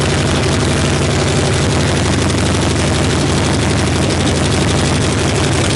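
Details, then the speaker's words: 1965 Harley-Davidson Panhead V-twin after cam, lifter, pushrod, carb and coil work, started on choke: loud, rapid, uneven popping about four beats a second with harsh raspy edge; rough raspy idle needing tuning. "so we're going to start it up right now it's pretty nasty and raspy and we're going to probably dial it in just a little bit"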